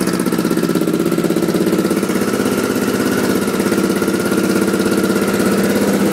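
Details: 1986 Honda XL600 single-cylinder idle with an even puttering beat and a faint sharp edge on each pulse. The noise remains after new exhaust gaskets; owner suspects an exhaust leak, not confirmed.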